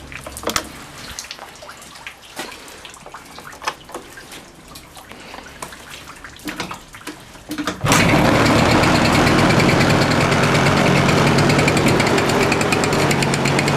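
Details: Suzuki Address 110 scooter, crankshaft at 11,373 km, piston kit at 6,392 km, NSK bearings: even knock about four per second. Owner suspects piston or pin. Engine knock.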